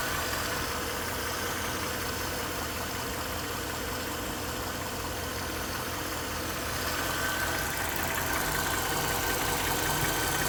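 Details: Mercedes-Benz GL 500 with the M273 petrol V8 at 72,500 km: steady, fairly regular engine knocking of nearly three beats a second at idle.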